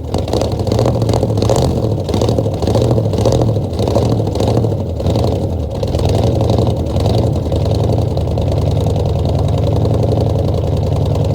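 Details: 1966 Ford F100 V8 first start in 17 years, bottle-fed fuel into carburetor, no coolant (freeze plugs out): lumpy uneven beat stumbling as revs sag and recover; almost idles, definite miss.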